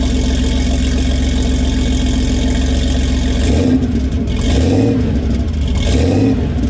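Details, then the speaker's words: Cold start of a 1981 Porsche 930, mostly stock with a few modifications and an aftermarket exhaust: engine catches and settles into a steady idle, then a few clean throttle blips rise and fall smoothly; normal cold start and idle. "it's been a little little while so I thought maybe we'll do a little cold start action on this socker for you 1981 930 pretty much stock few little modifications a nice little rarely late exhaust system so have a listen to this"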